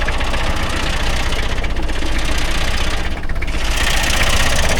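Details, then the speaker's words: 1990 Toyota Hilux 2.4 diesel restarted after service with battery disconnected and hand-primed fuel: uneven idle with irregular knocking and stumbling beats from air in the fuel, then re-primes and runs well. "gazoile tourne mal. Voilà. Ah, c'est bon, il a réamorcé."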